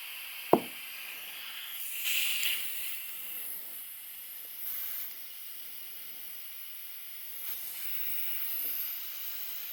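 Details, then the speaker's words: Inflating a Cub Cadet lawn tractor inner tube rated 14 PSI with the compressor turned up: a thin, steady high hiss with no low rumble as air escapes from the worn, cracked tire inflator and its hose fittings. "my air system is not in the best shape anymore both the tire inflator itself and the two fittings meeting together the hose and the tire inflator are worn out cracked not working the best"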